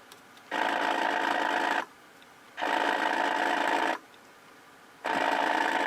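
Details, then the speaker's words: Zenith 6D-525 tube radio after tightening tube socket pins: loud hissing static bursts cutting in and out, going away when the tube is tipped; intermittent static, likely poor tube socket contact. "But that didn't, other than making a little hum, or when you plug this thing back in, you'll hear static all over the place. And it goes away when I tip the tube."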